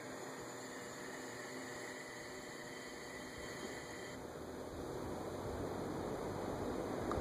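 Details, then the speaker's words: Montgomery Ward Signature 20-inch 3-speed box fan (believed Hunter-made), thermostat on, dry bearings temporarily lubed with WD40, on low: soft even airy hiss and faint steady hum, no ticking, scraping or rattle; runs quiet and smooth. ".16 amps, and that is quiet, and that is moving some air. That is a nice fan."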